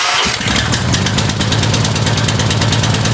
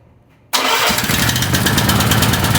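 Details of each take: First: Small single-cylinder gasoline power washer engine, after diesel was accidentally put in the fuel and cleaned out, runs with an uneven, loping, slightly hunting beat before dying away; leftover diesel makes it rough at first. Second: Small mower engine after diesel was accidentally poured in the gas, tank flushed and refilled, carburetor not disassembled; starts instantly and settles to a steady, even putter with slight smoke, running fine.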